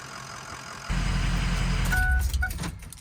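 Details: 2005 Ford Excursion 6.0 Powerstroke diesel after fuel filter and water separator replacement: a brief crank, fires at once and drops to a steady low rumble without stumbling; a clean start and idle.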